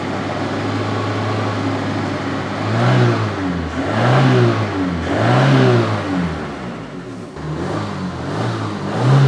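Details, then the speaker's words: Opel Ascona revived after long storage, still running on old fuel: engine blipped repeatedly about every second, sagging between revs and not holding a steady idle; owner suspects dirty carburetor jets. "still doesn't really want the idles"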